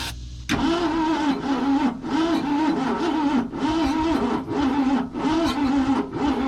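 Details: Abandoned 1990 Ford F600 box truck, briefly fired once; laboured starter churning about two strokes a second, each dragging, no catch, pulling the battery down while turning power steering pump, air pumps, compressor and alternator: slow cranking.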